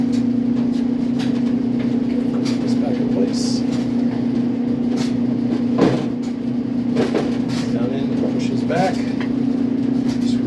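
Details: 20-year-old Whirlpool dryer LEN2000PW0, reassembled after the dirty motor wiring was fixed and producing heat again. Steady even hum from the motor and tumbling drum with a smooth airflow rush and no knocks or squeals; normal operation.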